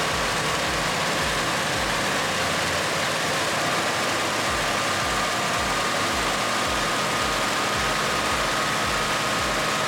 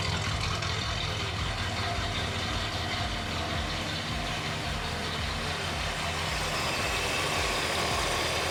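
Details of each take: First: 1964 Mercury Montclair, Ford FE 390 with cam and intake kit, running for the first time in about 40 years while ignition timing is being set: fast, even, smooth idle but too high, needs idling down. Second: 1964 Mercury Montclair, rebuilt Ford FE 390 with cam and intake kit, first run in 40 years, timing still being dialed in: deep even V8 idle, a bit high, no misses or knocks; runs smooth.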